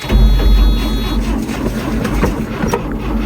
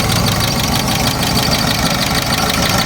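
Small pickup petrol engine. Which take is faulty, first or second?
first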